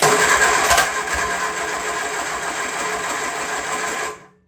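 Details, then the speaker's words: Freshly rebuilt 1970 Triumph Spitfire engine on a test stand, cranking on full choke: slow, laboured crank of about three or four beats a second, sagging and draggy; starter or its nose cone fit suspected. "That starter also that makes me Does sound cringe. draggy, doesn't it? Might have something going on with the nose cone that it fits into or something."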